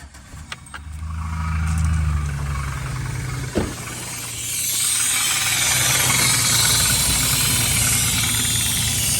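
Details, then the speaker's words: 2007 Chevrolet Silverado V6, lifter tap complaint, run briefly with belts off and valve cover removed: engine catches and idles with light fairly even tick; lifters all moving, owner plans to try tightening them, else suspects bottom-end noise. "The only thing I know to do is try tightening them up. And if that don't fix the noise, then I'm pretty sure it's going to be a bottom end noise."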